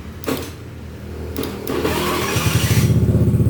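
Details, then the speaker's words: Honda BeAT FI scooter, hard-starting on electric starter but fine on kick, battery found weak and charged: starter spins briefly, catches at once without throttle and settles into a steady quick idle pulse; normal start. "langsung langsung hidup ya tanpa digas itu kalau misalkan yang normal ya"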